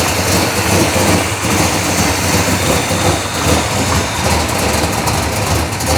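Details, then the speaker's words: Chevelle V8 with Edelbrock Pro-Flo 4 EFI, 13.5:1 compression, injection not yet fine-tuned, 3.5-inch collectors into 3-inch exhaust with mufflers: deep, steady rumble with uneven cam-style lope, no knocking or grinding; normal idle. "it's going through mufflers it still sounds nasty toned it down a lot it's more livable"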